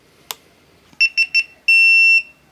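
Three short high beeps followed by one long steady tone, clean and electronic; the camera's failure warning signal.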